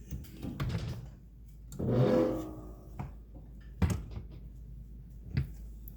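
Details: Frigidaire dishwasher door creaks with a brief wavering squeak as it swings, then bumps shut with dull thunks; squeak from cheap plastic door hinge cable pulley, remaining squeak from the other side after one side was fixed with a replacement part.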